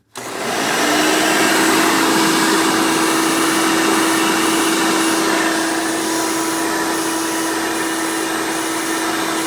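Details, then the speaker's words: 1990 Hoover Elite 200 U4467 upright vacuum, direct-air motor, using hose attachments: motor whine settles to a steady tone with rushing hiss around poorly sealed fittings; air leaking, weak tool suction. "this thing isn't sealed too great so that is another reason why this doesn't have very good tool suction i mean you can hear it leaking all around there"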